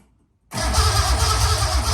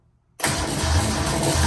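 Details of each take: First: Datsun 260Z with newly installed L28, starter solenoid wire found loose: steady even cranking about two seconds, regular chug near three per second, turns over freely but doesn't catch; fuel system not yet done; normal cranking, no start. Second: Datsun 260Z after L28 engine install, first start-up: engine catches abruptly and settles into a rough, busy idle with a faint metallic rattle on top, source not yet pinned down.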